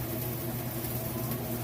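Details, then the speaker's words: Kenmore top-load washer on its final spin cycle, nearly at full speed: steady even hum with a low drone and no knocks or scraping; spinning smoothly and fast. "all right we're back for the final spin cycle here it is just about up to full speed"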